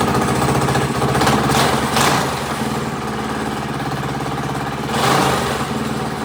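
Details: Rebuilt Predator 212 single-cylinder engine with Mikuni carburetor, restarted after first run: steady putter at idle that swells smoothly on two quick blips and drops back evenly; running healthy.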